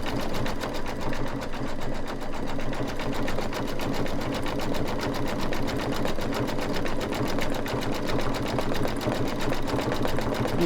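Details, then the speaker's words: Embroidery machine stitching a bicycle-with-hearts design: quick, even needle chatter with a slightly heavier, louder tone while sewing over earlier dense stitches; normal. "i'm just going to get a little louder going all the over all the other additional stitches there"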